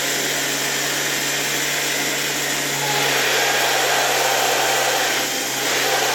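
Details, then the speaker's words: Soviet "Rakieta" 7M2 vacuum cleaner from 1981, MD-010 motor after cleaning: steady even whir with an airy rush, no knock or grind, maybe faint bearing or spring noise; runs smoothly, dust smoke at first. "I have the impression that this motor really runs quite smoothly. I don't know if I can hear the bearings here, or is it that spring that makes noise? But generally it works quite smoothly."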